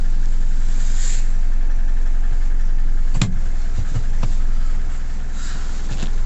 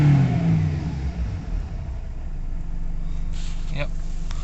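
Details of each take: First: Nissan Navara D40 2.5 dCi diesel, hard start and power loss (codes P1275 fuel pump, P1622), just restarted after fuel priming with possible air still in system: idles with steady low rumble but won't pick up revs, few small catches. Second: Nissan Navara D40 2.5 dCi diesel after codes cleared and engine light off, fuel pump issue suspected from tank contamination: revs up cleanly then settles into steady even drone, no hesitation; full revs restored.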